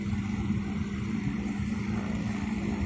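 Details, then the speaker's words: Electric fan that stopped after running because its shaft got hot, after replacing both front and rear bushings: steady even low hum with soft airflow, no rubbing or rattling, runs normally. "ประกอบเสร็จเรียบร้อยเปลี่ยนบูท2ตัวหน้าหลังใช้ได้ปกติ"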